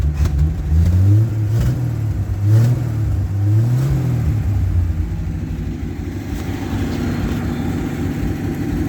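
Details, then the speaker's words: Truck with the choke partly in: it picks up cleanly through several blips and drops back to a smooth idle with no stumbling or knocking. Healthy revving. "See if she handles any revs. She sounds good."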